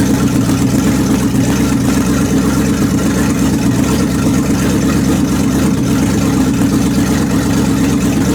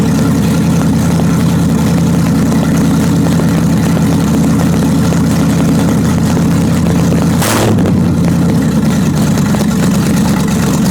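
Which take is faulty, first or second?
second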